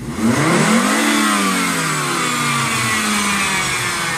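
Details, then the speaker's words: 1999 Volvo S70 base, 2.4 five-cylinder non-turbo: revved high, a whirring tone slides down in pitch as revs fall. Noise appears past 4,500 rpm, worse under load; variable valve timing suspected, unconfirmed; odd spin-down noise. "makes a really weird noise when you rev it up really high when it rest down i can't quite figure out what it is"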